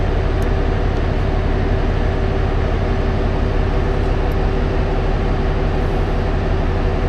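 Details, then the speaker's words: LiftMaster J50 garage door operator reinstalled after a chain-popping problem, first run at power-on with no smoke: deep, heavy, continuous drone, cranking hard like it is straining under load; the door may not have been locked down, cause unclear. "I'm gonna hit stop. I got stop right there. It worked, but it cranked hard."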